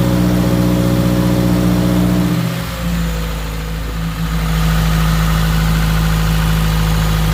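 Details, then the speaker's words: Subaru WRX 2.0 after replacing all valve shims (previous owner reported driver-side ticking), warming in garage while bleeding coolant; loud exhaust, brief blip and dip, then steady even idle with no top-end ticking; lifters now quiet. "we're just gonna keep this thing on the right temperature to let it idle for a bit you can see it's going down the RPM"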